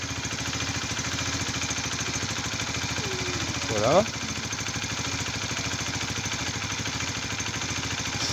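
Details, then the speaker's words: Honda CBR 125 (2004-2006) single, started gently just after an oil change and oil strainer cleaning: steady, even fast idle with no knocks or rattles; normal idle. "alors tu brusque pas vraiment au début tu laisses se lancer tout seul écoute bien si après des bruits suspects là tout se passe bien"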